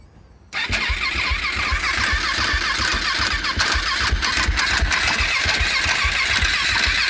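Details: 2014 KTM SMC R: fast rhythmic cranking about four beats a second with a chirping rattle on top, never catches; strange starting noise worsened over time, owner suspected but ruled out the bendix; no start, cause unclear.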